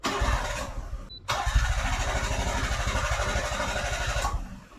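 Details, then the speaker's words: Suzuki Cara/Autozam AZ-1 after stalling: starter cranks steadily but engine never catches, fuel pump no longer heard; no power to pump, wiring failed inside the tank where heatshrink/connectors didn't hold up in gasoline. "Huh. I don't hear my fuel pump anymore."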